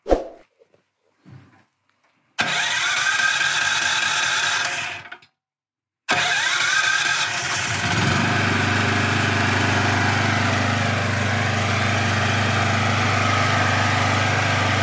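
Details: Petrol generator converted to natural gas, gas valve opened to middle position: after a couple of false tries it catches and settles into a steady, even idle hum with no misses; healthy start on gas.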